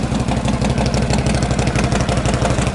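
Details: 1952 Harley Panhead V-twin after sitting six months, just started on one kick: steady, loping idle with even potato-potato beats and no knocks or rattles; healthy.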